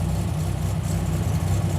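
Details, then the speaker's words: Buick Grand National engine after rod bearing replacement, idle adjusted down from a high idle; steady, even low idle with smooth rhythm, no knock or miss, settled at the correct idle speed. "Yes, that's where she needs to be."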